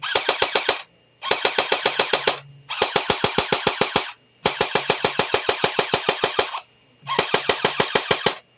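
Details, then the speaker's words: JG Mac 10 airsoft AEG on a Tokyo Marui 7.2V NiMH battery with EX converter, about half depleted after a day of testing: short sluggish bursts at about 9 shots a second, roughly 450–500 rounds a minute; low rate of fire. "it's not really that great. That's like 450 or 500 rounds a minute, maybe. I don't know. I don't have it clocked, but basically it sounds low."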